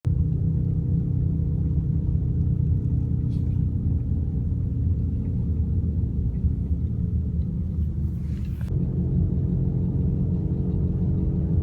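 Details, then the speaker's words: BMW E38 cabin while driving: steady low droning hum from a worn wheel hub bearing that should be replaced. "ребята когда у вас в машине такой шум значит у вас закончился один из подшипников желательно бы конечно же его поменять"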